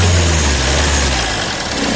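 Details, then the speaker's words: Jeep Compass at start-up and light revs: a heavy, droning rattle from the front of the engine that swells with revs. After removing the fan belt, the noise was traced to the alternator. "Check किया तो हमें इसका अल्टरटर का आवाज निकला। तो हमने इसका अल्टरटर खोल लिया है।"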